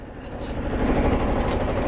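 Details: 1978 Yanmar YSB8 marine diesel, sat 10+ years in a flooded boat, first run in years, at lowest idle in forward gear: low, steady thrum holding even idle under load; runs smooth, working fine.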